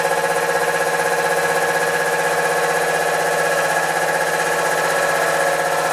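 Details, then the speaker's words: Newly installed shed air compressor, replacing the old one, first start-up; steady rapid pulsing hum and constant drone, no knocking or rattling, no louder than the old one; running normally. "Well, that's not too bad. That's actually no louder than the old one."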